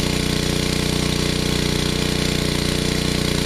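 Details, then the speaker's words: Generac 750 W small single-cylinder generator after final adjustments with air cleaner fitted, running under 350 W load (half rating): steady, even beat with no hunting or surging; governor and mixture settled. "I'm 350 watts which is half the rating in this generator I think we're there it's no more searching and it's as good as it gets I believe"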